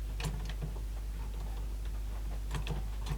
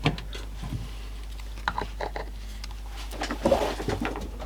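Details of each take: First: Sony SLC35 Betamax video recorder on eject with a cassette inside: solenoid pulls in but the weak motor barely moves; quiet, irregular clicking and ticking like a gear catching, cause suspected not confirmed. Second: Sony SLC35 Betamax video recorder with a loading fault: quiet motor hum broken by scattered clicks and short whirs as the cassette loading mechanism cycles and resets itself; loading works but tape lacing is faulty.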